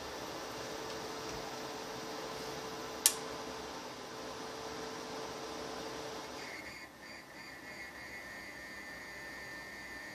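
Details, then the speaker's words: Orvaldi INV-12-840W Home UPS after replacing shorted output transistors, on mains and charging a small test battery to 14.7 V: quiet steady electrical buzz with thin high whine; the cooling fan makes an odd buzzing sound, cause unconfirmed. "Він чомусь дивно жужить це вентилятор такий звук дивний видає"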